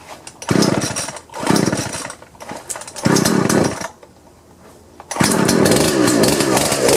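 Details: Husqvarna 120 chainsaw after fixing slipping pull rope by flipping the starter recoil spring so its longer end seats on the pulley: fires and revs cleanly in repeated bursts, dropping back to steady idle between pulls; runs normally.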